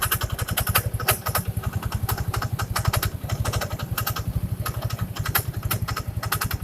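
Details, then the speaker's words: First-generation Yamaha Mio scooter at idle: steady beat with irregular sharp scraping ticks from the CVT side, starting seconds after startup; the kick-start shaft is rubbing the crankshaft. "Sebenarnya sih kayaknya saya sudah prediksi di daerah depan sini ada yang bergesekan."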